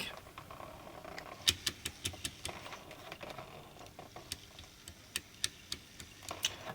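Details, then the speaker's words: Graham Farish Class 43 HST (Midland Mainline) running on track: sharp light clicks over a faint motor hum from a split axle gear in one bogie; the motor is also overstrained. "And you can hear that familiar clicking that comes from gear trouble. This time it is in the this bogey here."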